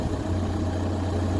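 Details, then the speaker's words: VW Golf Plus 1.9 TDI 90bhp 5-speed manual diesel after fuel filter and pump replacement, held at constant revs to test for earlier fuel starvation: steady clatter, smooth unbroken drone, no dips or cut-outs; fixed. "okay now I'll rev it and keep it at a constant revs to see if it drops as fuel starvation like it did before saw some pets don't die idle again it's not cutting out"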